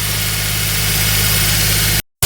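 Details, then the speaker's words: 2004 Smart ForTwo 450 700cc turbo petrol, rebuilt engine, just fitted with a new exhaust/catalytic converter replacing a cracked one; held at fast idle for 8 minutes per instructions. Steady even fast idle, smooth exhaust note, no ticks, blows or rattles; healthy. "so why have you done that instruction says to run it at a fast idle is it fast idle for 8 minutes"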